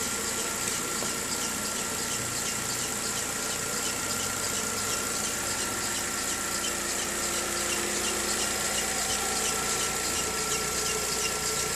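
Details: VW Gol G6 2013/14, mainly on cold morning starts: thin steady high-pitched squeal over the engine; dealer first blamed a too-hard alternator belt, but the fault was the timing belt, replaced under warranty.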